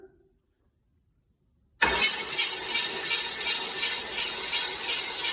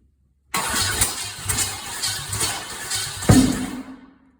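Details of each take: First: Chevy small block 350 V8, pulled from a truck, sat about 2 years with Mystery Oil in cylinders, spark plugs out, new battery cables: starter spins engine quickly and evenly with light regular pulse; turns freely, not seized. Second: Chevy small block 350 V8 after sitting about 2 years: rough uneven firing, sharp pop, then dies; backfiring caused by plug wires in the wrong firing order.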